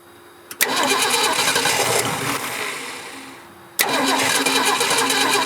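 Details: 1967 Ford Bronco parked 26 years in woods, first start attempt on likely dirty carb with simple power setup; engine fires and runs roughly a few seconds, dies, then catches again on next crank, possibly running too rich; cranks and briefly catches.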